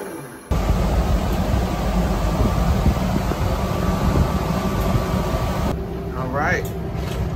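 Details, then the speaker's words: Rooftop AC unit on a 2009 Ford E450/E350 14-passenger shuttle bus, after replacing the loud motor, on low: a steady even air rush with no rattle, squeal or bearing growl; quiet, still blowing cool though it needs recharging; normal running. "that's quiet and it's still blowing cool we need to get this thing recharged but on low that feels good"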